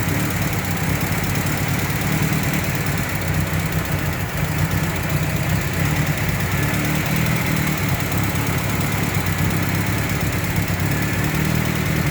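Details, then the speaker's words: Engine after honing the loose camshaft bearing cap to fix rocker-arm noise: steady even idle, smooth low hum, no ticking or knocking — noise reduced, normal. "[Musika] Wala na yung maingay. Nabawasan ka na ' ba? Okay na yan. Normal na yan."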